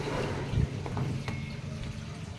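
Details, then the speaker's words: Samsung Diamond drum automatic washer after its faulty controller board was replaced with a Samsung Wobble board: water rushes and gurgles steadily out of the tub with a low, even flow before spin dry; normal draining. "start dire ng water tos kapag naubos yung tubig ikot siya ng spin dry yan"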